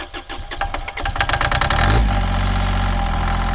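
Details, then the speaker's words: Mini-excavator three-cylinder diesel after bleeding the fuel lines, fuel pump replaced as preventive maintenance: cranking chatter speeds up, catches around two seconds, settles into a steady even idle; clean normal start. "Allez, là on est bon, on démarre. Tringale. En avant. Allez, on y va."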